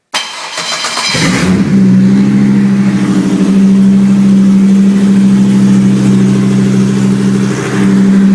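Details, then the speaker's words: 2004 Chevrolet Colorado 3.5L five-cylinder run on a pallet with a three-wire hookup: quick crank, catches and holds a high idle that eases down, then runs smooth and even. Normal cold start and idle. "It'll come down off high idle in a second here. There we go. It's sounding so much better now. Nice and smooth."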